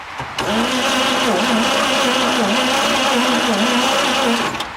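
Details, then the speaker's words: 1948 Chevrolet 1½-ton farm truck, 216 cu in straight six, not run in about 30 years, key in the middle position: steady starter churn with even compression rise and fall for four seconds but no firing, cranks but won't start. "nothing okay now I'm gonna go turn the key all the way to the right fire in the hole"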